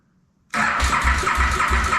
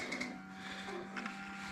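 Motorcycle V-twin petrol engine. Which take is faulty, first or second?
first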